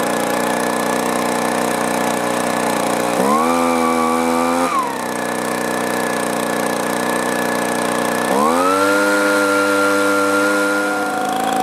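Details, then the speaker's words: Echo two-stroke blower, four-month-old aftermarket carburetor, low-speed screw turned out a quarter turn: revs climb, sag and fall back to a rough idle twice; fuel starvation, likely from a debris particle plugging a carburetor port. "there we go again even though it hasn't been long maybe the carburetor got clogged up or gummed up"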